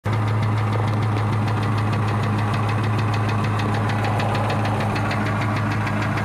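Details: 2003 Ford Mustang Cobra at idle: quick, even ticking that follows engine speed, louder underneath from echoing into the cat; a failing cam roller caused by clogged catalytic converters backing heat and carbon into the engine, cats since removed.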